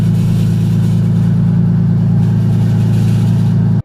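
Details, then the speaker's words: Lexus IS300 started after sitting for two months; smooth, even idle with a steady low drone and no knocks or misses before the sound cuts off; sounds healthy, normal idle. "as you guys hear the the is is on I'm pretty excited that I get to drive it again"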